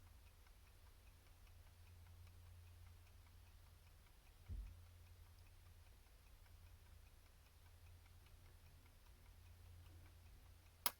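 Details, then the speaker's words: Repaired 1971-1974 Cadillac electric clock, cleaned and bench-powered: soft regular ticking over a low hum, then a sharp single click as the contact energizes the solenoid to rewind, about every 1 min 10 s; running properly. "there it is that was the rewind click so what happens is the when it unwinds the uh contact makes connection and the solenoids get energized it provides instantaneous electromagnetic power and it winds the clock"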